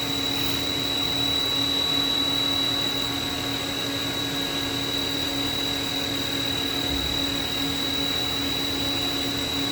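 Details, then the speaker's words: Haas VF-3 vertical machining center, spindle at 5,000 RPM while the table makes linear cross-axis moves at 40 inches a minute, recorded about 8 inches from the spindle. A smooth, steady high whir over an even hum, with no knocks or grinding. Normal, quiet spindle running. "Table moving in the cross axis. Spindle's running at 5,000 RPM. You can hear it's pretty quiet."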